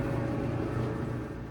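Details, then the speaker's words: GE dryer after the fix: its rattle was caused by lint buildup in the blower fan, cleared by vacuuming the blower housing. It now runs smoothly with a steady low hum, the vibrating noise completely gone. Normal running. "As you can see, the vibrating noise completely stopped. And it's running just like it would if it were brand new."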